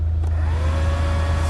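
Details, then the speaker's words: Renault Megane 2 heater blower that had stopped working, now running after its sockets were checked by hand: steady even whir with a low constant hum, no ticking or scraping, blowing and heating normally. "şu anda körmü gayet güzel bir şekilde ısıtıyor üfürüyor yani sesi de duyuyorsanız tamamdır"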